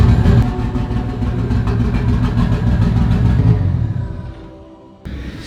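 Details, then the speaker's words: 1998 Nissan Skyline GTT, stock RB25, new Walbro 525 fuel pump, after jump pack and cleaned spark plug; low rumbling idle with uneven stumbling beats, misfiring, then dies away; running rough, fuel lines leaking, cause unconfirmed. "She ran, yeah, but it doesn't run great. But it's out of the garage for the first time on its own power."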